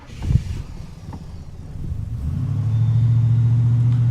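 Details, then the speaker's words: 1936 Plymouth Roadster at pre-purchase inspection, earlier took several attempts to start, possible carburetor issues to be fixed before delivery: starter cranks slowly, then catches into a low steady rumble; fired better than when cold, when it spat and barely idled. "So definitely fired up a lot better. When it was cold, it was spitting and barely idling."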